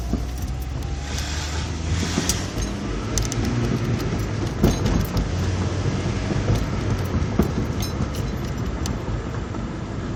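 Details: 2002 Acura RSX Type S with stock motor mounts, Eibach lowering springs and no front sway bar: irregular sharp clunks and rattles over road rumble while driving.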